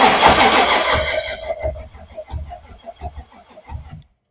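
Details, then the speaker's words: 1962 Ford Falcon gasser, cold day, in park: starter cranks slowly and unevenly with heavy clunks, under two per second, never fires; no spark because the distributor was left unplugged, and the battery cuts out while cranking; distributor gear recently replaced. "sounds clunky I think it's just because it's cranking over slow no spark though it's immediately turning the battery off too like while we're trying to turn it over so it might just be too cold"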